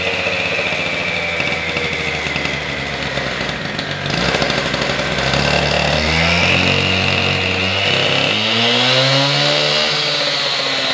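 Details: Husqvarna K760 cut-off saw after a top-end rebuild with new piston, rings, pin, cylinder and carburetor, running with no load: a steady high-pitched two-stroke buzz, revs climbing slightly and holding even without stumbling, normal running.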